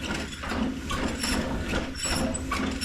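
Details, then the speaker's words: 1935 Austin 7 mechanical fuel pump, previously repaired body with head once fitted the wrong way round: rhythmic clicking about two strokes per second, pumping fuel evenly; normal pump operation. "See that? Awesome sauce. So that's pumping fuel."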